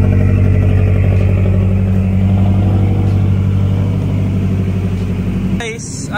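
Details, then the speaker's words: 2010 Subaru Forester XT boxer cold start: loud, steady fast idle with an even thrum at about four pulses a second, then shut off; normal cold start high idle. "Ako cold start check. Pakinggan natin yung cold start check. Pakinggan natin. Favorite thing ko about sa Subaru ko to, guys."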